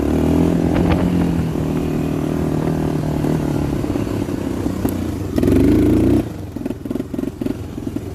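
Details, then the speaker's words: 1985 Honda FourTrax TRX250 single-cylinder ATV, kick-started: thumps along steadily, revs up and drops back to idle, running cleanly with good pep; tends to idle down and stall if left idling. "Got some pep to it, step."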